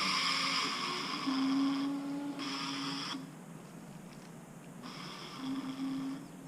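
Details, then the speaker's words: Scooter rear wheel: low whine with scratchy hiss in bursts whenever throttle is applied, quieter at very light throttle; wheel not hot, recently ridden on some dirt trails; rear wheel noise under throttle, cause unknown. "it's making a bunch of noise if I'm just super light on the throttle little quiet down but as soon as I try to give it any any kind of gas any kind of throttle it starts to make that noise"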